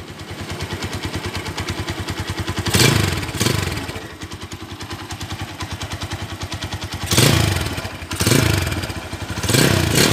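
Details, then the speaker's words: Stock 2012 Honda Tiger Revo, long unused: light, even tek-tek valve tick over idle that speeds up with each throttle blip; a strong, healthy single with its usual tick. "Galak banget, suaranya masih ada tek tek tek tek tek."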